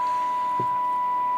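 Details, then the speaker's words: Dynatron Escort TP43 transistor radio from around 1970 with a Mullard LP1165 module, on long wave during alignment; the power supply for the lights is suspected of causing noise: a steady, high, unwavering whistle over quiet background. Interference noise. "sometimes i find i have to turn my lights off to do long wave because the power supply causes a little bit of noise"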